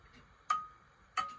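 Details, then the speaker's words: Antique grandfather clock with crutch wire bent well off, heard through an amplifier; tick and tock at clearly unequal spacing, loud beat then faint late one, well off, clock would eventually stop; clock out of beat. "It's well off. Now, that clock will certainly stop at some point. There's no way that is going to carry on like that."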